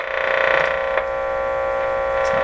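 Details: Crosley Mohawk Model 14B tube radio during capacitor substitution on volume-control output capacitor: loud steady buzzing hum with rich overtones, no level change; mains hum picked up through long test leads.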